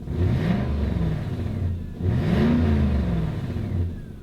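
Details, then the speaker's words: Lexus SC revving with a loud, raspy, spitting exhaust note from a bad exhaust leak, a ripped flex section that appeared after shipping on a truck. "Yeah, this has a pretty bad exhaust leak. And it didn't have one when it went on the truck."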